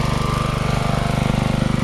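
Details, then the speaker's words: Riding mower small single-cylinder, starts only with a wire unhooked after oil change: fast chugging with pulsing, uneven throb that never settles, needing throttle and choke fiddling; engine surging. "start it up, but it surges like an SOB."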